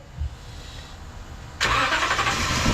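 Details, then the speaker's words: 2016 Toyota Sequoia V8 whose spark plugs on both banks are soaked with gasoline, with white exhaust smoke smelling of fuel; the pulser and ignition power test OK. Steady cranking rush that never catches: cranking no-start, flooded engine. "oh basang-basa rin ng gasolina lunod siya eh kaya hindi siya umaandar eh"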